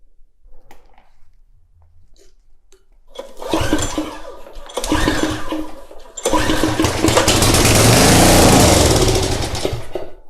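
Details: Craftsman pressure washer, 5.5hp Briggs and Stratton Intek 190, with fuel poured down the plug hole: cranks, catches on the primed fuel and runs in short rough bursts before dying; fuel from the carburetor not reaching it.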